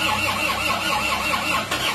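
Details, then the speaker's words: Isuzu Panther pickup diesel: sluggish uneven starter churning a few turns per second, engine nearly catching; weak battery dragging the crank even with a borrowed battery. "Yo ayo has kuat akinya tidak kuat kita pinjamkan dulu pinjamkan dulu dari aki plat S"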